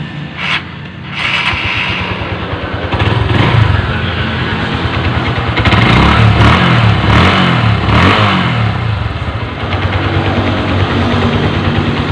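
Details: Honda Verza motorcycle engine after rebuild with new original piston kit, previously very rough-sounding: fires straight up and runs with an even beat through a few throttle blips; engine now smooth, normal idle.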